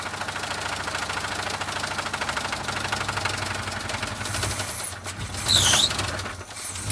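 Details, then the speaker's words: Blown engine, mildly chilly start at about minus 12, making oil pressure yet banging: loud, regular knock in time with rotation over rough running, definitely a rod knock. "yeah it's definitely a rod knock"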